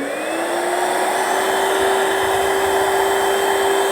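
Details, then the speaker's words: Donated cordless wet scrubber, no filter found: even high whine rising as motor spins up, then steady with airflow rush, a bit of suction; normal suction motor running. "Yeah, it has a bit of suction at the end. I don't suppose it needs a lot cuz you're really scrubbing and just sucking up the water."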